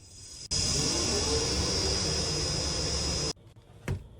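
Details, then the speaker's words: AHU blower after bearing replacement and belt/pulley refit: smooth, constant rush of air with a faint steady whistle, no rumble or grinding, then shuts off; blower running normally, previous noise was worn blower bearings. "Okay இப்ப எல்லாம் கரெக்டா இருக்கு."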